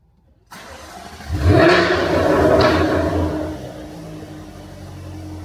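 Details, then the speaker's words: Jaguar F-Type startup: engine catches, flares to a loud raw roar and settles to a deep booming idle; active exhaust valves default open to maximum-loudness mode at start. "But no, the exhausts are going to be in maximum loudness mode as soon as you start it for a few seconds randomly."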